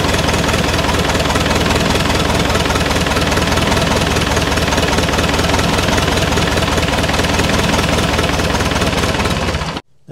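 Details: Massey Ferguson 178 diesel in a cane haul-out tractor, about 50 years old and sitting for years: ten seconds of even, labored cranking, about four beats a second, no firing; diesel reaches the injector pump, fault suspected further along.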